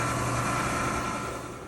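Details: Frigidaire gas dryer after restoration with new belt and rear bearing: steady, even motor and drum hum with no knocks, scrapes or squeal before it winds down; running normally.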